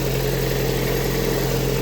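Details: Lada Priora just after a start at -4°C, with an overcharging 16.7 V and belt-squeal history; another unexplained knock was mentioned. The petrol engine idles with a steady, even hum and no squeal, knock or rattle. This is a normal idle.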